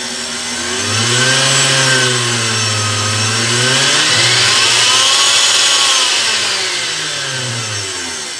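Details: Blender motor after reassembly following repair of a loud metallic noise: whirs smoothly with a high airy rush, pitch drifting as speed changes, no metallic rattle; normal run.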